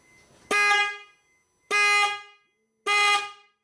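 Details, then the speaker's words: 2013 Mercedes Sprinter 3.0 L with horn not working, after replacing defective horn: three short clean horn blasts, steady bright tone, no rasp or fade; horn normal. "alright guys so you heard the new horn blow so the issue was a defective horn"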